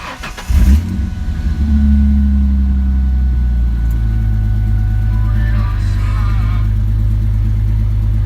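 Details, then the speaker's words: 2004 Ford Mustang V6 convertible with manual transmission, cold start: brief crank, catches at once and settles into an even idle with slight lifter clicking; no dash lights or codes; normal. "started right up sounds good you can hear the lifters clicking a little bit there it's not really uh warmed up"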